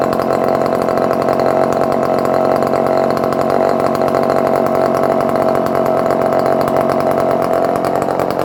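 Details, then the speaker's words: Circa-1970 barn-find Dolmar 118 Super chainsaw, cold started with choke after a few pulls: steady high buzzing run at constant speed, no stumbling or surging; runs well and oils, idle somewhat rough. "The saw is running quite good for years of. It's oiling, very nice."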